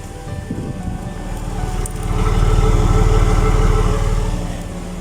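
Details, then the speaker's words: Porsche Boxster S 986 with a faulty ignition switch: steady low idle rumble keeps running and swells with the key out, while dash and interior lights stay on, spoiler opens and closes by itself, and the car intermittently won't start. "the is going on with my car oh and now it's just turned itself off this is weird what the oh ignition lights are back on spoiler is now opening what the so after doing a bit of research online i discovered that these boxes they do have a common fault with the ignition switch and that causes these crazy things to happen"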